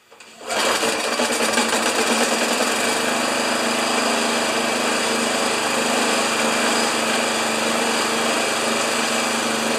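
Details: Old Briggs thatcher mower started with dirty air filter removed, expected to smoke: small engine catches and settles into a buzzy, uneven run with a ragged beat; rough running attributed to dust-choked air filter.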